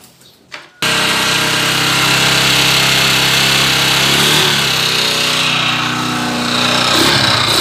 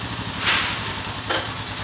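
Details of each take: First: Honda TMX 155 motorcycle engine stored over a year, owner says noisy; starts and runs with a loud harsh clatter and rough knock about four beats a second: connecting rod knock. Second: Honda TMX 155 motorcycle, stored over a year with a noisy engine: after repair and idle readjustment (idle was too high), a steady, even low idle beat with no knocking or rattling.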